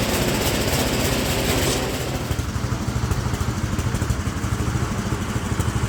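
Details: Speedex model 1630 garden tractor single-cylinder engine with new carburetor, reused old head gasket, running and moving first time in years: chuffing about three beats a second with uneven, lumpy rhythm; running rough, cause unconfirmed.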